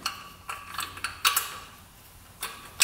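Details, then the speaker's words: Honda 400EX big-bore quad bearing turned by hand, gritty ratchety creaks in uneven bursts with lots of play, possibly water-damaged: worn-out bearing, to be replaced. "okay yeah well the bearing stones bearing is horrible bearing is right in here this thing listen to that"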